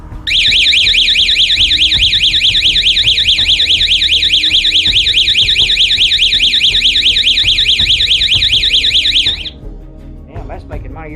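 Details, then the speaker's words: 12-volt outdoor motion-sensor alarm siren with red LED light, bench-tested: a loud, fast warbling electronic tone sweeping up and down about twice a second, then cutting off; siren working properly. "hat decibels that is but it's pretty loud and I like the little red light that's another thing that would be really intimidating if somebody's trying to break in or something"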